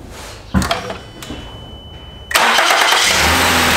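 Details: Start after replacing second coil and spark plug (rain-triggered check engine light, suspected cracked plug insulator or coil): starter cranks briefly, engine catches cleanly, steady even idle with no misfire or stumble.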